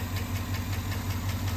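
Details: 2009 Chevrolet Avalanche GM 5.3 V8 idling with a sharp, steady tick about five or six times a second, caused by failed AFM/DOD lifters.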